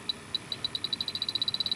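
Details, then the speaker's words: Electronic refrigerant leak detector (H10) on a dirty microchannel coil of a York package unit low on refrigerant: high-pitched beeps speed from a few per second to rapid chatter as it finds very small leaks; three good leaks found, a fourth barely picked up. "all right guys these leaks are very small there's another one right here there it goes there's a real good one right there"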